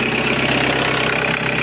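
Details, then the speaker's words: Audi A6 2.0 TDI, around 2005, that previously started then stalled, with black fuel: after tandem pump replacement and finding a broken EGR valve flap, steady diesel idle with even regular clatter, no stumbling or hunting, running and not stalling. "Чудо, чудо произошло. Автомобіль працює і не глохне."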